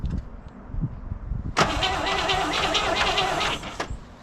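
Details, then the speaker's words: 1970 El Camino 396 V8 with 4-speed, parked 38 years, cylinders oiled, cranking on the starter: steady churn for about two seconds, never catches or fires; cranks but no start, no spark suspected, coil power then checked. "keep going stop all right well let's just see if we got spark"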